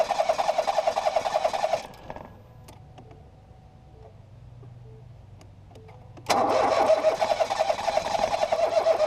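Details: 2018 Ford Focus SE parts car with suspected water in a cylinder, plugs refitted after blowing out fuel-smelling fluid; starter churns about three and a half turns a second, twice, without firing; owner suspects a drained battery; engine-fault warning displayed.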